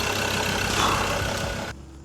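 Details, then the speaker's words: Mazda BT-50 diesel ute with no service history, after full engine service: even steady diesel clatter at idle, no knocks or misses; running smooth. "If you hear this sound when I start it, the engine's no good anymore. But it won't do that. She's running smooth."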